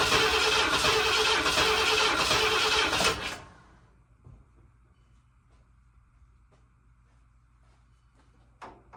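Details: 1979 Ford F250, sat possibly 6 to 23 years, first start attempt without starting fluid: about three seconds of fast, even cranking, roughly four turns a second, no firing; no fuel reaching it, cause not confirmed.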